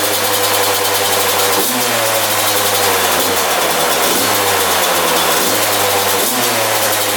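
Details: 2001 Yamaha YZ125 two-stroke after top-end rebuild, new pipe, cleaned carb: raspy fast idle with short rev blips, not settling; high idle, owner thinks an extremely loose intake manifold let it suck in air.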